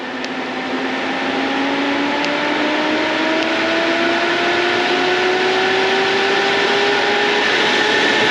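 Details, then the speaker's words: AC Infinity 8-inch inline duct fan for a GPU mining tent, spinning up to high speed on the bench with no duct attached: steady rushing air with a smooth tone climbing slowly, strong enough to push itself off the workbench; healthy fan. "I mean, it's pushing itself off of my workbench. Look, it's pushing itself. That is insane."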